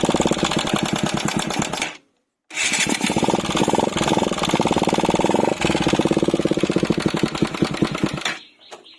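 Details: Bajaj Pulsar 200 NS BS III, 4-valve engine: fast, uneven ticking over running engine, persisting after a short dropout; likely loose tappets/valve clearance, unconfirmed.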